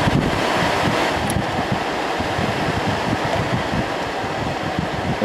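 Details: 1988 Fedders Cool Tote Slim 5000 BTU air conditioner, fan switched back to low after high: steady, even whoosh of air with no knocks, rattles or scraping; fan runs smoothly and healthy on low.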